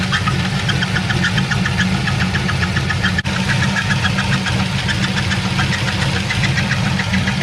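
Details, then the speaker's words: Engine idling after the shifter broke: a quick, light chirp repeats steadily over the rumble, seeming to come from the front engine area; owner unsure whether it is a pulley, the engine or the torque converter. "oh man this doesn't sound good y'all now i'm hearing that squeaking noise instead of being like down here right here like in the back"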